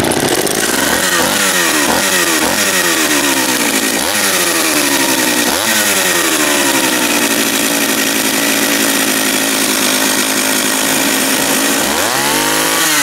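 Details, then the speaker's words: John Deere EV45 chainsaw, made in Japan, after carburettor rebuild with new diaphragm, first start with choke out and throttle locked: fires right up, revs cleanly through quick blips, settles to steady even high note; runs healthy. "so lock the throttle turn the switch off pull the choke out it's got no brakes be careful fired right up"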